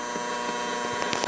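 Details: Tiger Claw 1500 W pure sine wave inverter with the radio plugged directly into it, before the RFI filter, tuned to 1365 kHz AM: a constant raspy buzz with steady whining tones across the band, conducted emissions coming from the inverter.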